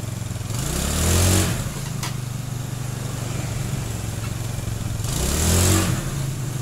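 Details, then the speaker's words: Honda Beat scooter (carb/injection) after fixing shudder when pulling away caused by uneven clutch lining: steady idle with two smooth even revs, no shudder or chatter on pickup; clutch engages normally. "Alhamdulillah, masalahnya sudah teratasi, saudara-saudara."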